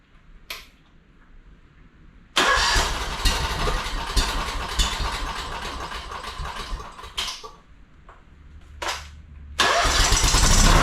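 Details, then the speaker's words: Honda two-cylinder engine that sat 10 years, after freeing a stuck governor and feeding the carb from a bottle: catches after a brief crank and settles into an even, steady run before shutdown. A nice, smooth, healthy running engine. "nice smooth running engine actually for sitting for 10 years"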